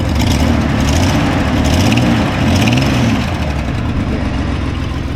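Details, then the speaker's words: Nissan Skyline R31 TI, idling and revved: rapid uneven puffing chuff on the exhaust note from a leak felt around the whole collector (exhaust manifold) flange; slight cold misfire that clears when warm. "all I can smell now is just exhaust fumes from that leak that's the only leak that'll attend to right there I can feel it around the whole katsia flange here"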